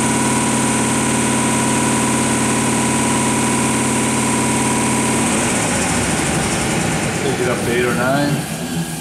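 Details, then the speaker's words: Sunnen ML-4000-D power-stroked horizontal honing machine, spindle stepped from 1,000 to 2,000 rpm in manual: steady motor hum with a clear tone changing smoothly with speed; hone runs properly. "1,000. This works nice. Take it a little bit higher. It's 2,000."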